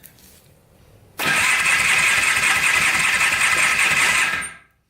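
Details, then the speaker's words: $250 Polaris Trail Boss 250 4x4 ATV compression test cranking: starter whirs fast and even about three seconds, hardly any compression pulses; about 70 psi versus 100+ wanted, owner suspects stuck rings or bad crank bearings. "about 70 pounds of compression since we've got low compression which is not good i'm guessing either the rings are stuck or the crank is bad one of the two"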